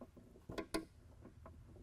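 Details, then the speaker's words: Heater door and arm in a restored 1960–64 Ford Galaxie heater box with new seals, operated on the bench before motor install: only a few soft scattered ticks from the arm as the door swings, no buzzing or loud rattle; quiet, normal door operation. "Much quieter than it would be otherwise. You're going to get a little bit of rattle out of the actual arm moving around some, but"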